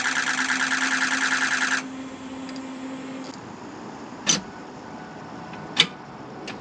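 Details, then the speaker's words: 2006 Ford F-550 6.0 Powerstroke diesel after blue spring kit install, fixing a damaged regulator O-ring that had fuel pressure at 45 psi or less, now 65 psi: even, rapid diesel clatter at steady idle, no misses; normal idle. "So we were leaking fuel bypassing that. Not good. So anyway, it sounds good now."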